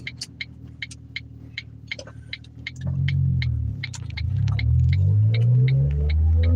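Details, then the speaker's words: Car coasting at 45 mph with clutch in and engine at idle: low throbbing rumble that grows louder and changes tone under braking as pressure loads the bearing; suspected worn wheel bearing. "Yeah, it just it it just seems and sounds like a wheel bearing. Cuz like hear that sound. Now I'm on the brakes and it just sounds like the tone changes because there's pressure being put on that bearing."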